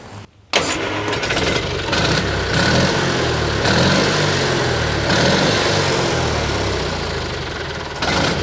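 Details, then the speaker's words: 1986 or 87 Argo Magnum after the fuel system was cleaned and primed: fires after a short crank and runs steady and even with no misses or knocks. It now starts, runs and drives well. "well I think that uh seems to run pretty good [Music] [Music] [Music] [Music] well guys I think we're going to call that a win definitely runs well as you can see"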